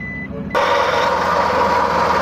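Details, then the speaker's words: Suzuki K6A engine at idle: harsh, gritty grinding roar like a grinder from a worn, hot belt tensioner bearing on the alternator and water pump belt, causing low power and overheating. "Ayan guys yung tun ni parang gilingan yan so yan yung dahilan niya guys at y y yt yung belt ng naka-on sa alternator at saka water pump"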